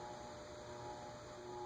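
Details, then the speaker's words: Emerson (Sears) CF-523-L ceiling fan with 52-inch plastic blades on a solid-state speed control: steady hum with faint whistle and airy noise, motor noisy but not sawing. "it's noisy though I can hear it it's not sawing"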